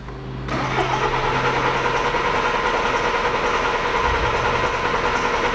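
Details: VW Golf turbo diesel, towed in, gear selector display flashing, no engine fault but faults in gearbox, cluster and CAN bus: starter cranks at steady even pace for about five seconds, never catches; crank no start.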